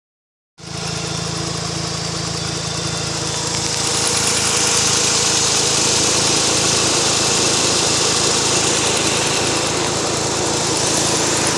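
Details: Mazda RX-8 rotary engine at warm idle: light regular tick, about four a second, over a hissy hum; it ticks for about 2 minutes, stops for about 15 seconds, then returns, and the owner asks whether it is normal.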